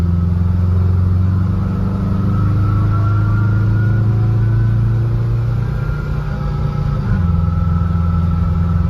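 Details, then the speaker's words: 1974 VW bus with Subaru 4EAT transmission and chain-drive reversal kit (no chain tensioner, chain slightly stretched), while driving. A thin singing whine over the engine that rises and falls with road speed. Kit maker attributes the whine to the large sprockets' gear tooth profile. "It did perform well, it worked properly. There is some whine that I didn't like, and I'm just worried about the longevity of the chain."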